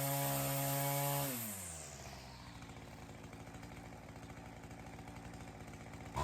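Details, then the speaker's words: String trimmer (weedeater) after fitting a HiPA replacement carburetor: comes off a high steady scream and settles into an even low idle without stumbling; runs much healthier than with the old carb. "Well, that sounded awesome. I didn't realize how bad that other carburetor made the engine sound. That has a lot of throat to it."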